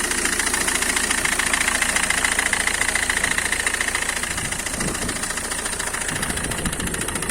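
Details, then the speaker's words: Citroen C5 2.0 HDi diesel idling: a steady knock about twice a second near the right front wheel. Someone suspected the high-pressure fuel pump, but the cause is a failing crankshaft damper pulley. "так ну что видео посмотрели хочу сразу сказать что проблема данного стука это не насос высокого давления проблема в эфирном шкиве коленчатого вала"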